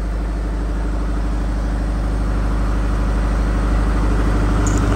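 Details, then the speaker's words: Reconditioned Kirloskar/Deutz HA494 four-cylinder air-cooled diesel 35 kVA silent genset, unloaded, hot-air exhaust fan on, silencer side: even steady diesel beat at constant speed, no knocks or hunting; smooth idle. "एस्ट भी चालू हो गया है जो गर्म हवा को बाहर निकालता है बिल्कुल सुपर साइलेंट जट बन चुका है"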